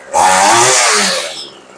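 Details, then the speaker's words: Homelite two-stroke weed eater after repair, idle turned up slightly: sharp buzzy note winds down cleanly from revs and settles into a steady, even idle; it runs healthy. "and for cheap we do that sounds darn good so you can see if you've got one of these little Home Light weed eaters or really almost any weed eater is a really easy fix"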